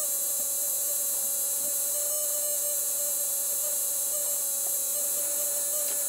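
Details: Automotive relay charger on 12 V wall supply recharging a flat alkaline Polaroid flashlight battery (5.9 V before): fast steady buzz at even pitch, relay chattering normally as intended. Normal relay buzz.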